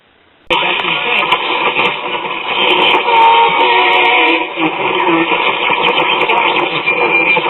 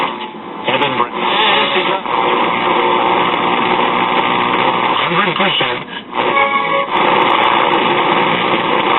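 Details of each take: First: RCA Institutes AM tube radio after repairs, on a piece of wire antenna: station plays clearly over steady hiss, reception restored; owner notes some oscillation between stations still to fix. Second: RCA Institutes AM tube radio: a steady thin squeal sits over the station audio as it tunes between stations, picking up with just a wire antenna; oscillation, cause not yet traced.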